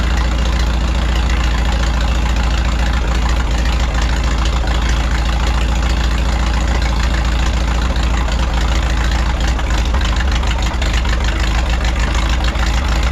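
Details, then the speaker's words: 1951 Farmall M tractor, warmed up after oil change and rebuilt carburetor: steady low idle smoother than before but still popping and missing intermittently with occasional stumbles; spark plugs to be checked next. "now the tractor is running a lot smoother than it was you know since we put the rebuil carburetor on there but it's still popping and missing every once in a while and it shouldn't be doing that"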